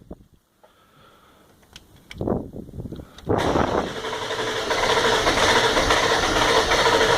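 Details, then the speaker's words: 1997 Ford F250 Powerstroke diesel hard start, batteries charged: glow plug relay clicks, then long crank with uneven stumbling firing pulses before it catches; afterwards runs rough with some smoke, owner suspects only 6 cylinders firing. "It's stumbling like it wants to start. Almost. Give it another shot."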